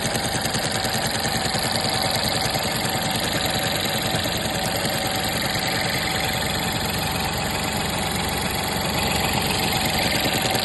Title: vw 1.0tsi 81kw DLAA (2021) weird noise on idle